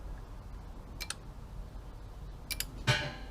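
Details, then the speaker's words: 2.2 L Subaru engine from an all-wheel-drive donor with 162,000 miles, being wired for a 1972 Super Beetle swap with the ECU powered on. A couple of sharp, dry clicks in a quiet room: fuel pump and fan relays clicking normally on power-up. "So you can hear relays clicking now. There's the fuel pump. There's fan."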